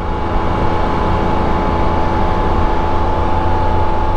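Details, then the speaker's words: 2023 Can-Am Spyder Sea-to-Sky with the 1330 engine at cruise: a steady thin whistle rides over the road and engine rumble; normal belt drive whistle, nothing wrong. "I would hear that whistle and it was the belt whistle and I'm like that is the coolest sound sounds like a whip antenna off of a old police car or something"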